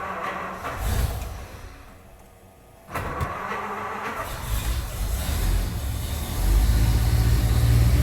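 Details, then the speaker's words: 1929 Cord L29 Cabriolet, first start after seven months of winter storage, electric fuel pump primed, choke out: cranks briefly, fires and settles into a low steady rumble that gains strength; normal cold start. "Not too bad. Gotta keep the right balance of choke till it warms up a little bit."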